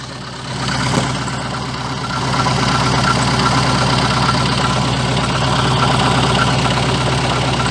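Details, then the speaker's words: VAZ 2114 revved to 2,000–3,000 rpm: a rough, fast rattling clatter and vibration appear as the throttle is released. The cause was a cracked crankshaft damper pulley, found with the wheel and cover removed; it needs replacement. "это когда вот я допустим газую до 2 до 3 тысяч оборотов и сбрасываю и вот в момент когда сбрасываешь газ начинается эта вибрация"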